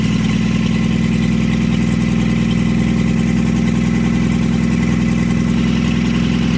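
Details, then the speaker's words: 1952 Chevy engine, weeks after freeing seized-up parts and carburetor, started with a splash of fuel since the accelerator pump isn't working; run briefly with no coolant in the block or radiator; constant low drone with an even firing pulse, idling steadily. "we got through all that got it all taken care of and now a couple weeks later she's running and idling"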